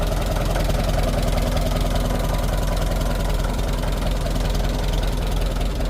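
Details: Fully restored 1958 Farmall 450 tractor after engine tune-up: even, regular low chug of about three and a half beats a second, steady; running perfectly, normal idle.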